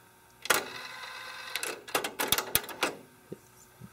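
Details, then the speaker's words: Kenwood KX-W8050 cassette deck, made in Japan, motor dated August 1992: light clicks and whirs as the auto-reverse head swings over; owner notes it flips on every reverse play, extra wear on the head. "the head has to flip around each time, and that's just extra wear and tear on that head."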